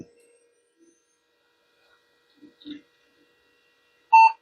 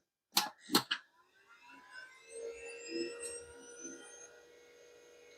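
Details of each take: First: Power-up of a vintage e-waste PC during testing with a 3dfx 3D card fitted, video passed through from the 2D card: one short clean beep then quiet, a normal single POST beep. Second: Vintage e-waste PC, switched on after adding 256 MB RAM: two clicks, then one long continuous BIOS beep signalling a memory fault. The card will be moved to the next slot to tell a bad slot from bad memory.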